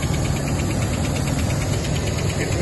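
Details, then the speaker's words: Rolls-Royce Silver Shadow running about 30 seconds after a resistor bridge-wire repair: light regular tick, several per second, over steady idle, following engine speed; source not yet identified, owner doubts it is the power steering. "that tick tick pretty sure where it's coming from don't think it's PS we'll see I'll have a better look soon"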